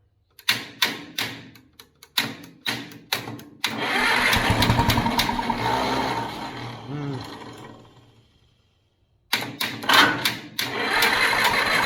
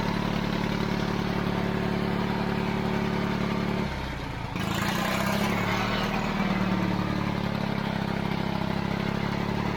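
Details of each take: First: Pony motor on a 70-year-old 1950s barn-find D6 dozer fires, runs a few seconds, then sags and fades to silence; owner guesses a stuck carburetor float left the bowl out of gas, causing fuel starvation stalling. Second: 70-year-old 1950s barn-find D6 dozer diesel, started via pony motor after years sitting: starting clatter settles into a deep, lumpy chug holding a steady slow beat; normal diesel idle.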